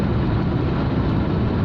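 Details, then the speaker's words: Honda S-MX front brake on a test drive after a caliper swap and a disc check, with the disc adjusted off the backing plate: only steady road rumble, no squeak or scraping, though a clunk from the front end remains. "I had the entire caliper assembly off yesterday just to check that the disc was sitting flush, because I think the annoying squeak stopped."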